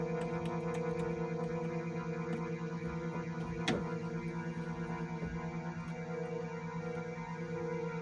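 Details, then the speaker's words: Korg Trident synthesizer on first power-up after power supply capacitor and wiring repair: a steady chord drones with no keys pressed because the strings are stuck on, a keying fault possibly related to the power supply. "Okay. So, we got strings on, but they're just all on. So, that's a keying issue."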